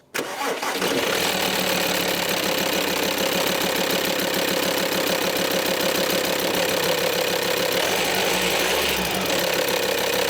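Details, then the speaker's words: VW Touareg 2.5 TDI after fixing popping from failed camshafts, with new cams, bearings, lifters, stretch bolts and oil filter: cranks briefly, catches cleanly and settles into an even diesel idle clatter with no popping; normal start and idle. "a dream so problem solved not sure if I mentioned it earlier but this is probably one of the most common issues that happens to these 2.5 engines"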